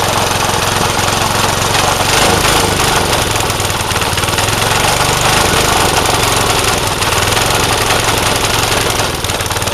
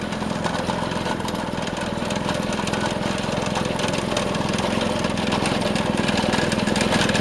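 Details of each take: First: Vintage Craftsman 18-inch snowblower single-cylinder: loud rough clatter with uneven firing and slight surging; carburetor mixture out of adjustment. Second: Vintage Craftsman 18-inch snowblower after carburetor fine-tuning, driving at full throttle: steady fast four-stroke drone with even firing, no surging or hunting; normal running.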